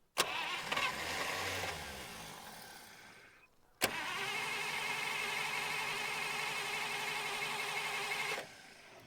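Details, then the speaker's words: 1951 Buick Super straight-eight, sitting about 25 years: the starter spins it steadily with a few weak catches, but it never runs because it isn't getting fuel; an electric fuel pump straight to the carburetor is planned. Crank, no start from no fuel delivery. "not getting fuel we're gonna have to hook up the uh electric fuel pump and uh go directly to the carburetor"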